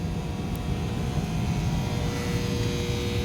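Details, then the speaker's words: Allied packaged heating unit in a shop, no-heat call with high limit trips and dirty burners, blower feeding about 15 ft of duct: steady even whoosh with low rumble and faint constant hum, no knocks or scraping; blower running normally. "well let's hunt the limit down and check our blower blower sounds okay it runs in I don't know duck runs probably 15 foot that way and it's got a rack fan on the other end of it rack fan is running as well"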